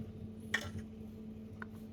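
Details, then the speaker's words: Midea induction cooktop with flickering power: sharp ticks about a second apart over a low hum as power cuts in and out after pulling a filter capacitor beside the zener diode, found as the culprit. "Giờ mình nh nhổ con tụ này ra đó nghe thấy tiếc tích tích Thích th kì"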